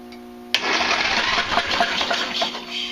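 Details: Craftsman Hydromatic mower with 15.5 hp Briggs & Stratton OHV, puffed black smoke last year and won't start: cranking with plug out gives a wet, spitting hiss as fluid blows from the cylinder; flooded engine.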